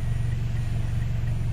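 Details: Toyota Altis 16-valve automatic, warm, idle around 1100 rpm, checked for shaking in reverse with air conditioning on: low, even hum in reverse with foot on the brake, no shake or stumble, smooth steady idle.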